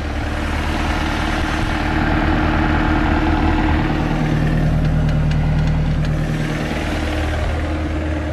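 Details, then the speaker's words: Mercruiser 3.0 L 140 boat engine after installing a new Sierra carburetor and fine-tuning adjustments: even, steady low idle with no stumbling or hunting, now running smoothly; normal idle. "that sounds a little bit better right yeah now she's smoothed"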